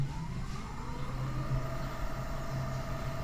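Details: Volta 402 Virgo electric scooter on its stand, full throttle in mode 3, speedometer reaching about 67 km/h: smooth electric whine climbs slightly in pitch then holds steady, no grinding or clicking; hub motor healthy at full speed.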